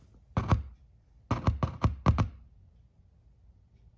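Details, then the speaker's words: 2015 Hyundai Elantra sound system install, speaker lead touched to a AAA battery: sharp dull pops each touch, one single then five quick; speaker wiring connected properly. "Okay, so that's what you want. We got the good connection."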